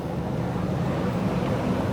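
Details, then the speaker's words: Chevrolet Silverado 2500HD ZR2 Duramax diesel, rebuilt after a crash, on a test drive to warm the engine: steady, even low diesel drone with road and wind rush, quiet but clearly diesel, no knocks; shifting fine, drives straight, normal. "I mean, it is quiet, but it's still, like, you can tell it's diesel. All good so far. Shifting fine."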